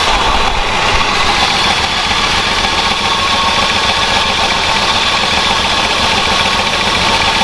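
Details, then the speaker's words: 46-year-old Plymouth Volare 318 with lean burn spark control, revived after 20 years sitting in the desert, idling at first run: even idle with light busy clatter on top, "a little chattery, not too bad"; cause unconfirmed, fuel leak found. "Yeah, motor's a little chattery. It's not too bad though. It's alright."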